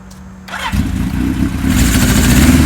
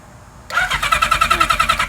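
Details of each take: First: 1977 Kawasaki KZ1000A four-cylinder, not run for years, after cleaning the points to restore spark: brief starter whir, then it fires and revs cleanly into a strong, even run; healthy start. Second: 1977 Kawasaki KZ1000A with cleaned carburetors and new spark plugs on jumper battery: quick even cranking around eight beats a second, never fires; no spark found, points to be checked; crank no-start.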